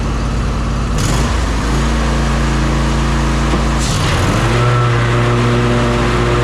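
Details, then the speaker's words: John Deere S140 riding mower, 48-inch deck, after blade deck belt replacement: steady engine hum, tone shifts as blades engage, then runs smooth and even with no grinding or crunching. "now I'm gonna get on it crank it up and engage the blades and make sure she's okay listen for any grinding crunching sounds"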